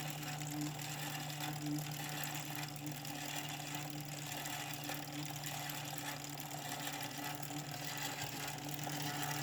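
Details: 2017 Wahoo Kickr trainer: steady low hum from the spinning flywheel with a constant hissy scrape over it; something rubbing inside.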